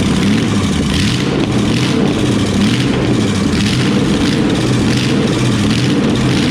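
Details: 350 V8 newly installed in a C10 truck that sat 20 years, transmission cooler lines unconnected: loud, rough, uneven running with low throb and surging; engine running briefly on starting fluid rather than its own fuel.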